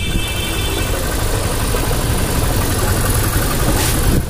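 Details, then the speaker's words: Hero Impulse single-cylinder motorcycle after a full service with a new timing chain, tappets tightened and carburettor tuned, heard at idle. Smooth, even idle with a steady exhaust beat and no tapping or chain rattle, though slight air noise comes from near the carburettor. Normal idle. "बिल्कुल brand new engine जैसा होता है ना, same वैसी आवाज आ रही है एकदम, टैमिंग चेन डलने के बाद टैप टैप टाइट करें, और बाकी एग्जॉस्ट नोट सुनो बिल्कुल आइडल कंडीशन पे भाई,"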